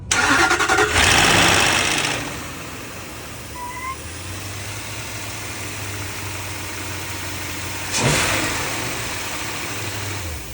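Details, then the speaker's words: Range Rover L322, dead-cold start: it cranks and catches, then a fast, steady slapping rattle of about three to four a second rides over the idle. Severe timing chain slap. "Start up. We've got some pretty severe timing chain slap noise."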